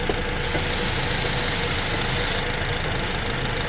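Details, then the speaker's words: 2012 Honda with codes P0302/P0303, coils swapped and plugs replaced: a rough, lumpy misfiring idle changes as starting fluid is sprayed at the intake manifold base, with a spray hiss; intake manifold gasket vacuum leak suspected. "but now I'm going to spray the the base of the intake manifold and now start shaking I think we have a problem over here at the at the intake manifold right here"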